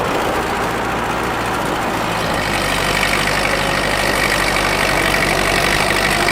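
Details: Ford tractor pulling in high gear on the driveway: steady, even drone, strong under load, no knocks or misses; burns clean.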